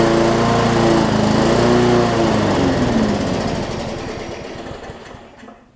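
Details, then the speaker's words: Bolens push mower with Briggs & Stratton engine, no-start from bad fuel: fires with a quick even beat, then loses power, sputters and quits; lots of water found in the fuel. "it's got a lot of water in the fuel"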